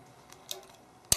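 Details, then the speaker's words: Farm well water pump pressure switch: a few faint ticks, then a sharp snap as the contacts close and water pressure builds; one contact was burned badly enough to lose contact until flicked clean, giving no voltage at the center. "But you can see that that contact over there was badly burned. And that actually was burned badly enough that it wasn't making contact until I actually flicked these back and forth a bit to clean them up."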